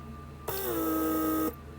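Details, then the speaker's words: Bench test of a repaired PSE door-locking vacuum pump from a 1996 Mercedes S320 (W140). A one-second electric whir stops sharply as the actuator pulls the trunk release handle back in and the solenoid holds it. Working normally. "Let go of the connection and the handle is pulled back in. And also you hear the solenoid to hold it in place."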